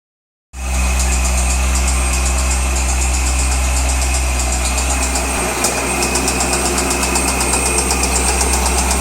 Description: Noise from LS6 Engine in a 2003 Z06 Corvette